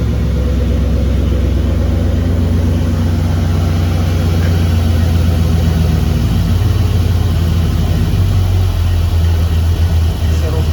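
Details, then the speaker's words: 1959 Ford wagon with V8, EGR not hooked up, now with alternator connected: deep steady burble holding low idle without dipping or stalling; previously died at low idle without alternator hooked up, now sounds good. "through a low idle pretty good now without that CH without that alternator hook up it when it tried to go to low idle it would just die I don't know why but uh yeah seems to do good now sounds good"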